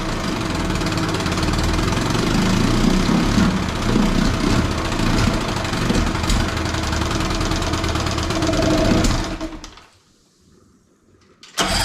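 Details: 18 hp Evinrude outboard sitting in water with the carb back on, air screw still being adjusted: it runs rough with a lumpy beat, then falters and dies. It is surging and cutting out; owner suspects fuel starvation, since squeezing the primer bulb helps briefly.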